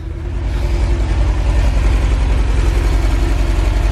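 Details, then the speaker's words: VW Vanagon engine idling just after fuel tank replacement: steady, even low rumble with a smooth regular beat and no misses or knocks; idles cleanly, no fuel leaks found. "And there we go. She's running."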